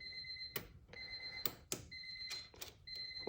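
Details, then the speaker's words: Honda Civic with K20/K24 swap, first power through homemade charge/starter harness: several short, clear two-tone beeps at half-second gaps over quiet clicks, the normal Honda power-up chime, no burning smells. "no weird smells or nothing like that so far um I missed that sound the Honda beep"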